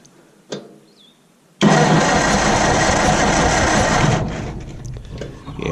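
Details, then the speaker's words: Old Massey Harris petrol tractor, sat 4–5 years with stale gas: a steady churning crank of about 2.5 s with no firing. It cranks but won't start; there is no spark but power reaches the coil, and the owner suspects the points. "still have no spark so we must have a points issue because we do have power going to the coil"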